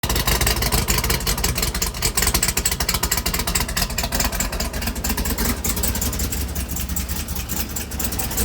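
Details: 2016 Chevrolet Camaro LT1 V8 with a factory-cracked valve spring, first thought to be bad gas. Uneven, stumbling idle with dropped beats and a ragged exhaust pulse. Misfire from a cracked valve spring.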